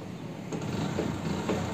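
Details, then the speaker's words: Hero Splendor iSmart motorcycle, engine cold, original CDI refitted to test whether the CDI or heat is behind its cutting out when hot; starts first time and settles into a quiet, even single-cylinder putter with no stumbling: normal idle. "ये देखो first class start है engine ठंडा है अभी ये हो रही है"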